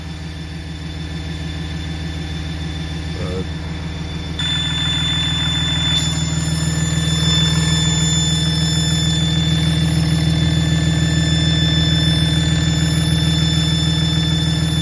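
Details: 2007 Dodge with 6.7L Cummins diesel: idle with thin steady high-pitched squeal when exhaust brake engaged, not heard while accelerating; exhaust brake squeal, brake still working.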